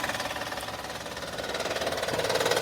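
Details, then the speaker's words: Honda Pilot engine running with a loud, fast, even knocking, about eleven a second, that sounds like engine failure. The cause is a failed hydraulic timing belt tensioner, a common Honda problem. "Miren, aquí les voy a enseñar y les voy a mostrar cuál es el causante de ese ruido fuerte, un ruido que desesperante, que tú piensas que tu carro se ha acabado, tu carro, tu motor se ha acabado."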